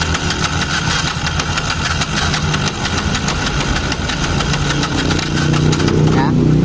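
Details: Yamaha Jupiter MX King with rough engine and no idle: harsh rattly "drag drag" whirring while cranking, noisy starter rotation continuing into rough running, needs throttle to start; broken starter one-way clutch (double starter) suspected.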